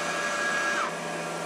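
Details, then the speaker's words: Compaq DLT tape drive in an old HP/Compaq ML350 server running a clean tape made in 2004: steady whir with a thin high whine that drops away; awful noise said to mean a tape error. "this means there's a tape error you can hear by this awful noise I'm running a clean tape that I made in 2004 through it"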